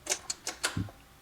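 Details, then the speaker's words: Realistic LAB-420 turntable, stored for years, powered on at 33 rpm: four quick light clicks then a dull thud with no motor run-up; start mechanism not working though tonearm up/down works. "I just powered it on and it started already okay so this is not working okay the up and down is working kind of looks like I've got the right speed"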